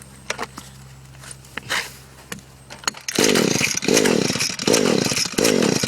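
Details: Echo SRM-210 trimmer on fresh two-stroke mix; four quick recoil pulls, each a rising whir with no pop or firing, so it cranks but won't start. It previously started only with WD-40, the plug comes out wet, compression is about 150 and the stop leads were checked.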